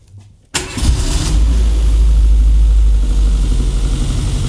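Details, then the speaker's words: Renault Twingo 1 phase 2, bought broken for 50€ with a reported turbo problem, first start without coolant in. Catches instantly after a short crank and settles into a deep, even idle with no knocks or misfires. Normal start and idle. "Oh mec, une horloge une horloge parfait."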